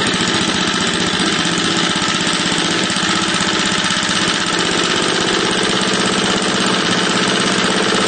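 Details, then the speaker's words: 3 HP Tecumseh horizontal-shaft engine on a board, running on gasoline before hydrogen conversion, throttle low: steady buzzy single-cylinder putter, even and unbroken; normal idle. "low see it's running on gasoline no cars up my sleeve nothing special at all"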